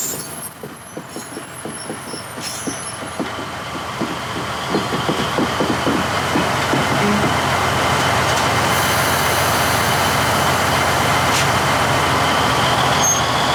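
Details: 1953 GE 80-ton long-frame diesel locomotive, last run 1998 by the Navy, just revived after temporarily twisting the contactor coil wires: steady diesel throb thickening and climbing as it takes load and rolls; pulls properly, forward and reverse. Air throttle has dead spots, likely loose wiring.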